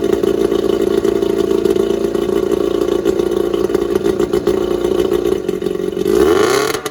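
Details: Starcraft boat's small kicker outboard, run on muffs during spring de-winterizing after the main motor was run and held temperature; it settles into a steady, even run with no misses or knocks, running very well.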